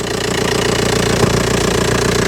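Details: Old Audi A4 diesel idling after aux belt and tensioner replacement with Gates parts; regular even diesel clatter at steady idle, no belt squeal or chirp; earlier judged a normal dirty diesel, a bit cold; normal healthy running.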